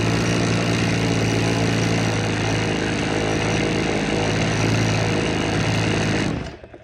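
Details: Vintage black-top Husqvarna 50 chainsaw (50cc), unrun about 15 years, 80 PSI compression, rings possibly stuck from sitting: runs with a weak, uneven beat about four per second, then dies; low compression.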